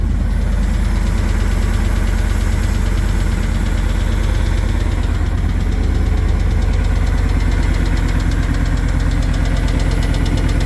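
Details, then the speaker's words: First start after engine bearing replacement, fresh 0W20 oil, oil pressure present, plugs and coilovers fitted, serpentine belt off; even idle with a steady light quick tick about three a second, tick persists, cause unknown. "Got oil pressure. Still ticking. Isn't that awesome?"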